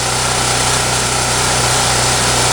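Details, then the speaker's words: Champion generator, 3–4 years old with over 1,000 hours, ran rough after sitting months (carburetor suspected gummed up); after tune-up, running unloaded with an even, steady buzz, no hunting or surging, smooth. "that looks pretty steady to me and it sounds pretty smooth so i'm gonna call this a success and turn off the camera"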